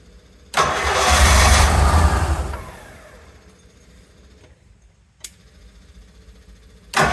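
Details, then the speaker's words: Rolls-Royce Silver Shadow crank no-start after dying: starter churns, fuel pump ticks along but engine won't run; owner suspects out of gas. "the fuel pump sounds like it's checking along but just not running very weird did we run out of gas or something"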